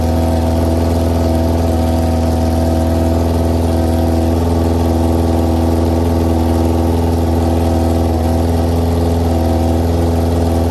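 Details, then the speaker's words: 2001 Yamaha YZF R6, first run in 3 years after carburetor rebuild and new jets, bad gas being flushed out: steady deep idle, even but slightly rough and unsettled; rough idle, still more work needed. "It's been all day working on this thing, but I finally got it started. It was rough. It was real rough."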